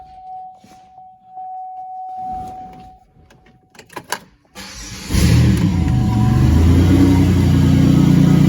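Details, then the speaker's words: 2006 Buick Rendezvous 3.5L with an intermittent no-start, now running fine with the exhaust removed. A brief crank catches into a raw, loud, deep throbbing idle. The loudness is from the missing exhaust; the fuel pump and a burnt fuse are suspected. "okay I'm going to show you that it's running fine now I'm going to run the scope and we'll start it up this thing's really loud cuz the exhaust isn't on"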